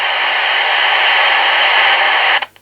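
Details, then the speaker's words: Customer's CB radio, returned as not working, powered up on the test bench and connected to a base antenna: steady, even hiss with no crackle or dropouts, cut off cleanly; healthy receiver with nothing tuned in. "radio szumi no radio będzie szumiało dlatego to jest tak powiem niez częś odbiera jakie kolwiek zakłócenia coś się tam dzieje"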